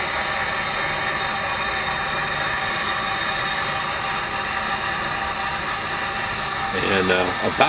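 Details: Elster AMCO positive displacement water meter under flow, about 75 dB on max hold: steady whirring hum with even tones, nothing rough or knocking; normal running meter noise.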